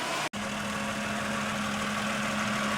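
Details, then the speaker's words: 2004 Honda Pilot with swapped 300,000-mile engine, idling to warm up and open the thermostat: steady, even idle under a constant rushing whoosh as the cooling fan cuts in, faint steady hum; all sounds normal. "I'm pretty happy with that I'll tell you that thing sounds good for 300,000 miles oh there's a cooling thing"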